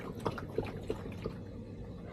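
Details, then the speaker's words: BMW with past sunroof leak problems, floor wet after rain, mic close to floor: four soft watery plops and drips low under the floor; likely rainwater trapped in floor pan, plug likely to drain it; water in floor pan. "Yeah, if you uh don't exactly know what that is, I'd have to guess it's rain water."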